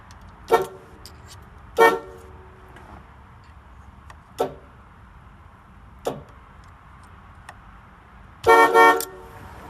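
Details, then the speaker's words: 1979 Chevrolet Caprice with a four-note horn setup (stock A and F plus C and D from a 1994–96 Cadillac Fleetwood): five loud blasts with uneven gaps, each a full, rich chord with no rasp or dropout, so all horns work. "sounds like a Cadillac to me how I'm talking about so you guys hear that I think that works like old Cadillac"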